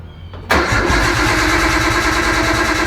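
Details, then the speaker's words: 1998 Nissan Skyline GTT, stock RB25 with newly installed Walbro 525 fuel pump; starter churns with steady rhythmic whirr but engine never catches, crank no start; jump pack later hooked up. "Bro, I swear this thing's like camera shy or something, but let's try it again. Maybe with the hood open."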